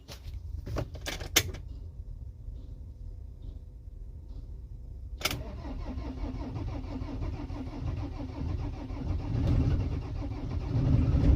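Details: 2008 Citroen Jumper cold start: a couple of short cranking bursts, a long pause, then the engine finally catches and settles into a rough cold idle; hard starting when cold.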